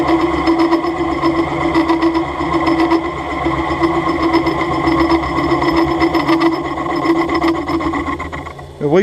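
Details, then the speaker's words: Milling machine being recommissioned: steady rasping hum with buzzy vibration through the cut; the untrammed, out-of-alignment head lets the cutter recut on its back clearance — milling chatter from an untrammed head. "Enfin, si elle vibre, justement, c'est bien ça le problème. C'est juste qu'en fait, la tête n'est pas alignée, elle n'est pas dégauchie, et donc on peut avoir des problèmes de."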